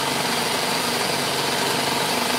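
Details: Dewalt D55168 15-gallon oil-less portable air compressor after a new piston was fitted: an even hiss and buzz with no knocks, the hiss from the ring; it builds to about 170 psi quickly and runs normally.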